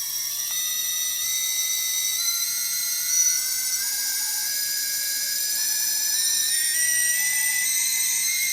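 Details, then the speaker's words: Four T-Motor 2206 2000KV motors on UBAD 20A ESCs in a 250mm quadcopter build, on battery, one starting then the other three: smooth steady high whine rising with throttle, no roughness; healthy motors. "so one motor is starting up first because they speed controllers need to be calibrated and there's goes the next three so now with all four running let's hear the sound"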